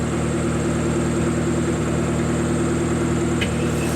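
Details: Car that would not start, after a blown ignition coil fuse under the dash was found and fixed; compression was about 125–130. Smooth, even idle with a steady low hum and no misses, knocks or stumbles; engine running healthy.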